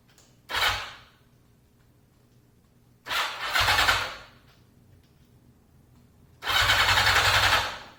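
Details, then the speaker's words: 1982 Yamaha XJ550 Maxim, sat 25 years, carbs rebuilt and cylinders oiled; three one-second bursts of cranking, never catching, no spark at all; ignition module or coils suspected. Cranks but won't start. "No spark. It's not weak, there's literally none."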